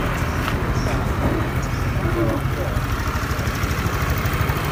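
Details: Honda Beat FI scooter, which stuttered at low RPM and died when ridden, after fuel pump replacement and a fuse wiring fault found: small engine idling at a steady, even putter with no stumbles or cut-outs.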